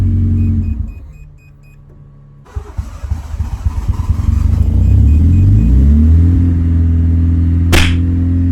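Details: Honda Civic EK hatch, rebuilt engine, fifth start attempt after three months off: a few seconds of cranking, then it catches, revs hunt and it settles into a low idle not yet properly set. Unsettled idle.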